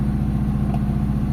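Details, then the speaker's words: Mitsubishi Lancer GLXi after a tune-up and valve clearance adjustment; the complaint was a high idle that was slow to drop. Smooth, even idle at 750 rpm with no hunting. With the aircon on, it dips slightly and then recovers. Normal idle. "Ayan, normal idle mga bossing. 750 RPM. Tapos pagka nag-aircon, ayan, drop lang konti pero tataas siya."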